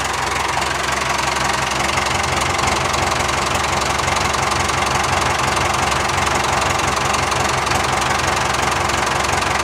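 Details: 990 diesel just reassembled after a cylinder head and valve seat rebuild; the engine is warm, and oil weeps at the back where the gasket isn't fitted yet. It gives an even, steady clatter with no misses or heavy knocks and runs healthy.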